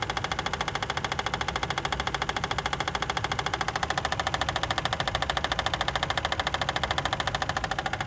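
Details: Toyota 2JZ engine running with a sharp, very regular knock about 136 times a minute; internal engine knock suspected, cause not confirmed.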